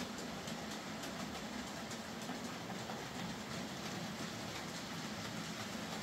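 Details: Hornby J15 model locomotive, slow and noisy since new, after a motor replacement: soft, even whirr with light rhythmic rail clicks and no grinding or buzzing; now running a lot quieter and smoother.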